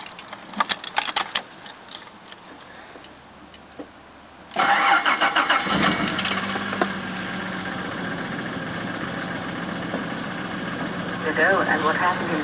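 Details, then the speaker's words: 1983 Jaguar XJ6 Series 3 4.2L six, start with a broken drive plate: cranks, fires and idles with a loose, irregular metallic clatter that comes and goes; cracked flexplate, later replaced. "all right I'm going to uh start this Jaguar xj6 4.2 liter six cylinder it's got a broken Drive plate let's see what interesting noises it makes today"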